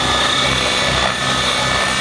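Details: Nitro RC helicopter engine, with the mixture richened for hard continuous flying (tick-tocks, flips): a steady high-pitched scream with a constant low rotor beat and no sag, holding speed cleanly with more smoke. Normal running at full throttle.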